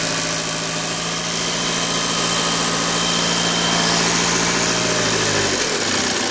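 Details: 2009 Audi A6 2.0 TDIe diesel at idle. A sharp metallic ticking knock, three or four per second, over the clatter, apparently near the common-rail fuel rail; source unconfirmed. The alternator also behaves oddly.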